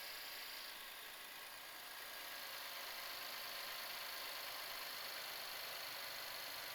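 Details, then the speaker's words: 2018-2024 Buick Enclave 3.6L V6 first start after spark plug change and intake manifold reinstall: smooth, even idle with light steady fuel injector ticking, no knocks or misses, no leaks. "got noisy fuel injectors. We can hear them just uh going crazy down there injecting."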